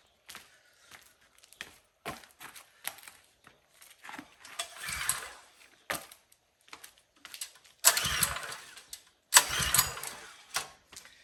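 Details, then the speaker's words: Power washer engine, gas and choke on, oil full, filter clean: several short pull-start bursts turning over but never catching; crank-no-start, no spark suspected. "All right, sounds like she isn't getting any spark."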